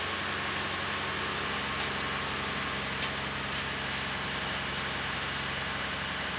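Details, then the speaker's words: 2017 Ford F-150 3.5L EcoBoost, first start after engine swap once the oil system is primed: even, steady idle with no knocks or misses; high-pressure fuel pump a little louder on one side; everything sounds good. "that was really good I'll either jump back on for now don't equalize out on there a little bit sounds good though a little louder on this side than the fuel pump high pressure fuel pump everything sounds good"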